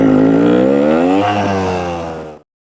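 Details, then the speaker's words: 2024 Vertigo Nitro 250 trials bike that idled poorly and died, after cleaning dust from the throttle body's idle air passage: quick blip, then a steady, even single-cylinder idle with no stumbling before it cuts off; now idles fine. "The idle air passageway, when it's idling, that air couldn't get back and forth because all the dust that was in there. Now that I got that cleaned out, this thing's idling just fine."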